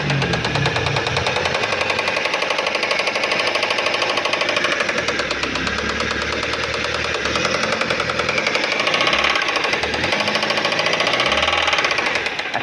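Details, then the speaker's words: Car with an engine noise and oil warning light, engine running at the front: fast, steady metallic knock with the oil light off for now; mechanic says the piston is knocking, the engine apparently must be opened, and the head is then removed. "Só que aqui na frente ainda tem o barulhinho, ó. Pouquinha coisa. Aí tá batendo o pistão, né?"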